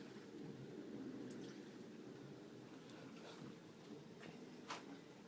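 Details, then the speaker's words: LG WT1101CW 5.0 cu ft HE top-load washer on normal cycle with warm water and a full load of shirts and towels: very low, gentle sloshing, no thumping, grinding or motor whine; a quiet, normal wash. "and for the wash can you hear that how quiet that is"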